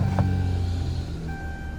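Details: 2014 Dodge Charger Pursuit (ex-police), engine with 30,000 miles and full service history: quick start settling into a steady, even low idle hum with no knocks or ticks; healthy idle.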